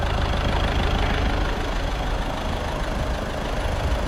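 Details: Caddy diesel after a week-long repair in which a stuck injector was removed with a slide-hammer puller kit: even idle with a steady low clatter and no misses or knocks, nice and quiet, running lovely. Normal idle.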